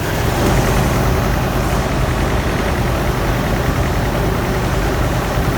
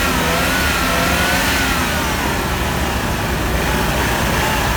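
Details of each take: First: GMC 2.8L four-cylinder truck engine at idle: deep, loud idle with an uneven, loping pulse and a missing beat. Cylinder 3 misfires from an ignition coil broken during a timing chain repair, with no scan codes, then it fires on all cylinders. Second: GMC 2.8L four-cylinder truck engine running smoothly and evenly on all cylinders after replacing cylinder 3 ignition coil broken during timing chain repair; steady firing beat, no stumble, no scanner codes.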